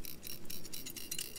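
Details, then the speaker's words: MSR WhisperLite camp stove being moved: a faint, light metallic tinkling from the loose cleaning needle floating in the generator tube, which is normal. "So what that rattle is, there's a little needle floating around in the generator."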